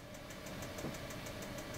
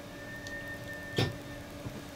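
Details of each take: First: 2017 R-Pod 179 RV propane stove on a first lighting attempt: fast, even igniter clicking about five a second over a low hum without lighting; air in the lines is suspected, and it may have caught after further tries. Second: 2017 R-Pod 179 RV during used-RV inspection, propane water heater switched on (DSI fault light comes on as it tries): one sharp igniter click over low hum as burner fires; normal light-off, propane working.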